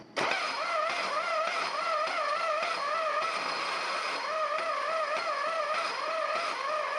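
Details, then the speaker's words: 1950 Chevrolet inline-six, long parked and previously stuck, cranking on 12 volts: whirring starter tone rising and falling about every 0.7 s with a rough catch each turn; starter or damaged ring gear teeth suspected, not confirmed. "cables aren't real hot. Maybe that's why they parked it was for a bad starter. Who knows? Never heard one sound like that."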